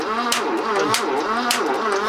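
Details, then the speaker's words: 1980s BMW E12 M535i Lightweight barn find, untouched 30 years: starter churning with sharp clacks about every half second while cranking; oil on valves and rockers freed all but two sticking valves, penetrating oil soaking. "so we've gone from all valves sticking to two yeah that's because you've lugged that fluid down there that's good because that'll soak its way"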